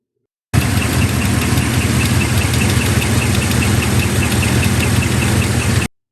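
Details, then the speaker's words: GM V8 at idle with a sharp, light metallic tick, roughly four a second, like metal tools tapping together; GM lifter tick often caused by DOD or AFM lifters. "the dreaded GM lifter tick something we've all heard about this noise is often caused by issues with DOD or AFM lifters it sounds like metal tools tapping together"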